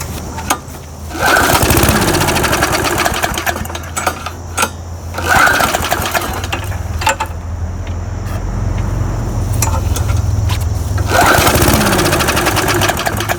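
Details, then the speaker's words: Murray lawn mower that ran fine four days earlier, now pull-cranked with fresh gas after priming three times: quick chuffing bursts that fade without firing, cranks but won't start; water in the gas tank suspected, carburetor to be fed directly next. "good well i guess i'm gonna have to take that cover off and just add some gas directly to the carburetor"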